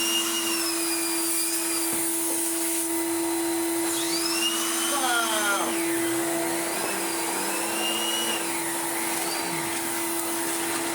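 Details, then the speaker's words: 1990s Numatic BX190 (BX.BX) vacuum after wiping the seal and cleaning the bin: steady motor drone with a hissing whistle that rises and falls, slightly less leaky than before; air leak, remainder suspected inside motor housing. "Does he sound any less air leaky? A little bit."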